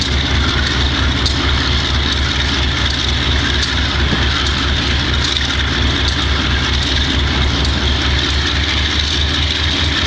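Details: Wimpy MTL B30-7 diesel locomotive: a heavy drone with a lumpy, uneven beat from cylinders misfiring on bad injectors. The air intake and some injectors were replaced and the valves checked.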